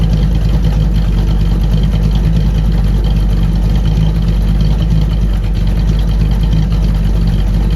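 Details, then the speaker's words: Newly installed ATK 390 hp 350 small-block Chevy in a 1936 Ford, hydraulic roller cam, block hugger headers, single-chamber Flowmaster mufflers, heard through the exhaust: deep loud idle with gentle uneven cam lope, no ticks or knocks, normal. "Motor's got a hydraulic roller camshaft in it. It's got a nice little lope to it."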